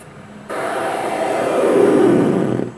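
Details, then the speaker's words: Cooler Master Musketeer III vacuum-tube PC audio unit (2005) at computer power-on: loud hollow roar and buzzing from speakers about two seconds, then drops away with weird signals continuing while warming up; cause unconfirmed. "Whoa! [laughs] We got some demon sounds. [speaker buzzing] I did not expect that. That doesn't sound good, but sounds awesome."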